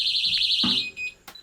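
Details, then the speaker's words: Technaxx TX-100 motion detector sensor alarm, loud indoors, just before being switched off: shrill, fast-warbling high siren for under a second, then handling noise; the motion alarm has been triggered. "So it's not very loud outside. But you can hear it."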